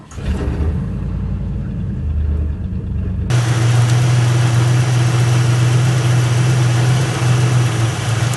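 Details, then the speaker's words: Ford LTD that began sputtering and nearly stalling on the road, after a fix: low, steady, even idle with no stumbles or misses, running much better than before. "Alright guys, check this out. It's running a lot better than it was."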